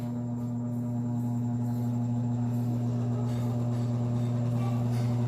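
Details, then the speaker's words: Arno 40 cm desk fan, dirty, customer reports very slow running: loud steady electric hum with faint slow flutter as the motor strains and barely turns; blade appears loose, worn bushings. "Eita já vi que ele tá só fazendo aquele barulho ó querendo rodar"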